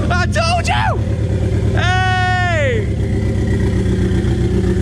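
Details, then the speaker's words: Newly turbocharged Miata starting after injector dead time was changed from 4.0 to 1.0 with DIY Autotune help: lumpy low engine beat with a whistle rising and falling as the turbo spools; finally runs properly after days of no-start. "hear the turbo you hear it spooling oh give me some give me some that was lit son"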